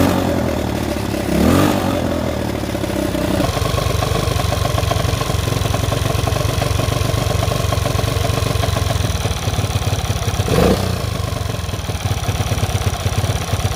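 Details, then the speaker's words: Honda CT200 (1964–67, iron-head pushrod single), long-sat, first start on fresh gas with cleaned plug: lopes unevenly at idle, speed hunting after blips, won't stay running, plug very wet, hard restarting; carburetor suspected, not confirmed. "i did notice that it didn't want to stay running for long in fact the the spark plug was very wet after i wrote it down the street and it wouldn't start very easily after that"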